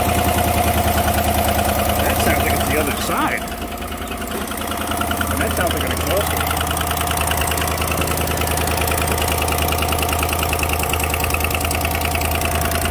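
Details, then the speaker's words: GM 5.3 V8 Silverado idling, customer hears tick after it sits: sharp, even ticking about three per second; exhaust manifold leak with carbon tracks, rear manifold bolt broken off in head, likely from expansion and contraction. "so and there you go that's an exhaust link that noise see all the carbon there that back bolt is broken"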